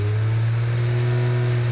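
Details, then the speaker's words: Aston Martin DB7 V12 after cooling repairs, gauge temperature now matching OBD and fans triggering correctly: smooth, even low hum with no stumble or miss; engine now runs correctly at all speeds. "engine now runs correctly at all speeds and above all ... the temperature indicated on the instrumentation now corresponds to that displayed on the OBD."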